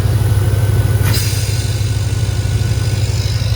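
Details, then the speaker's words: P38 Range Rover air suspension, exhaust filter removed: compressor drone with air hissing from the valve block exhaust, changes when exhaust hole covered; faulty valve block. "have a listen what happens when i put my finger over the exhaust hole also watch the pressure and then when i take my finger off the exhaust"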